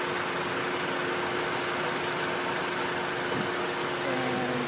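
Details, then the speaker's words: 1996 Honda Civic 1.6 after replacing the thermo switch, fan and radiator and fixing the thermo-switch harness connector; warm idle, temperature gauge at midway, electric radiator fan finally kicks on with a steady, even airy whoosh, running normally. "we're looking at at the temperature gauge it's looking uh it's Midway we waiting for it to go a little higher or wait a little longer so the thing can turn on now we can see the fan finally turning"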